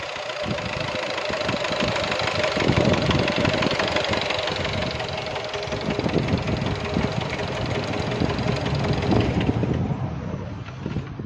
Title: Стук мотора